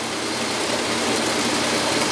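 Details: Whirlpool Clean Touch top-load washer, newly installed, in fast rinse after strong agitation: steady, even rush of water over a smooth motor hum, no knocking, thumping or rubbing; normal rinse.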